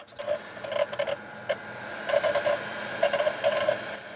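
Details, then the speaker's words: Dumpster-found Xbox 360 Elite starting with an NBA 2K11 disc: short whirring chirps and soft clicks in irregular bursts as the drive spins and seeks, no grinding; reads normally. "listen to that baby purr that is the sound of a console at peak performance it's working it is working"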